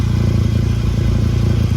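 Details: 2011 VW Golf Mk6 wagon at idle: loud, deep, blatting exhaust with a raspy low pulse, blowing through a big hole at the top of the pipe near an old clamp; exhaust leak before repair.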